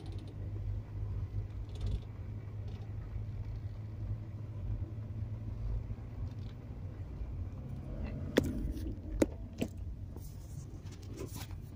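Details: VW Touran turning at low or no speed, engine running: three sharp clunks under low engine rumble as the wheel turns slowly, also slight noise over bumps; owner suspects strut mount or sway bar link, unconfirmed.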